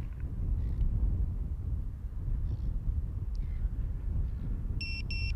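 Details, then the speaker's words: ViFLY Beacon lost-model alarm on a plane after a slope landing, outdoors in wind: beeping every few seconds as the pre-alarm, then a sharp high double beep after the plane stays still. "I can hear some beeping one beep every second or so or three seconds leave it for 30 seconds and it should start alarming"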